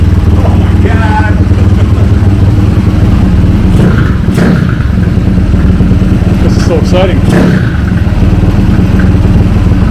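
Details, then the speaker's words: Honda CT70 K0 trail bike, first start after swapping the 140cc engine for a high-compression 212cc engine. Single pulls with a steady, even thump and clean revs, no knocks or rattles. The engine is running healthy. "exciting oh if you sound SS great man sounds so good so good really"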